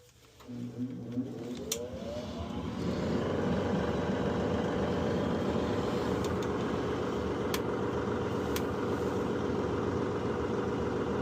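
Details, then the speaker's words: Luxaire 80% gas furnace that revs and shuts down intermittently: the blower winds up, then holds a loud, rough roar while drawing high current (up to about 11 A). Abnormal revving noise with high motor current; cause not yet found. "That is using an a lot of current. Yeah, that noise is not like what you would normally used to."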